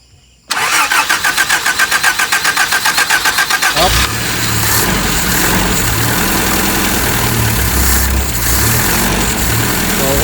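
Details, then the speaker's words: Engine stuck unused for 3+ years, first start after a tune-up with contact points and fuel priming: starter cranks for about three seconds, then it catches and settles into a steady, even idle with no knocks. A fuel leak from the return line was noted. "Tapos, okay na, nakita nyo yung idle niya. Maganda."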